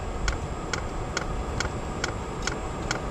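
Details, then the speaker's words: Silvel diesel heater after repairing a fuel leak, starting up and beginning to smoke: sharp, even ticks about twice a second over a low hum as the dosing pump meters fuel steadily. No leaks were seen; normal pumping. "All right, can you hear her clicking? She's pumping fuel good, and I'm not seeing any leaks down here."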